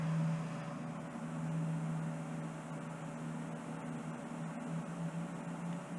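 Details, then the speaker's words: Newly installed Chinese diesel heater in a garage, first start after priming, with the glow plug on and the fan running: steady low fan hum with a faint ticking pump pulse underneath. Normal startup. "So the red light indicates that the glow plug is on. We've got the fan going obviously, and I can feel the fan down here."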